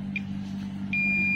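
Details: TOA ZA-2021 amplifier that keeps blowing its fuse, meter buzzer test on output transistor: brief chirp then steady continuous beep; transistor is shorted (paralleled pair both shorted), to be replaced.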